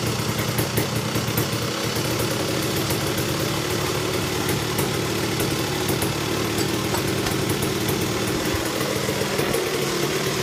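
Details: Tecate KXT250 two-stroke, start with new fuel petcock, almost cold (last run half an hour earlier): busy, crackly idle with fairly even beat, no stalling or misfiring; runs, idle still wants adjusting.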